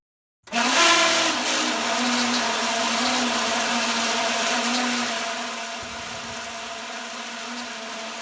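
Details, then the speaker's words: Carrier home AC outdoor condenser fan: loud harsh shriek with rattling metallic edge over steady hum, fan struggling to turn; caused by the fan blade, fixed by replacing the blade. "as you can hear it it makes a very large noise and if you look closely it is really struggling to raise the fan plate"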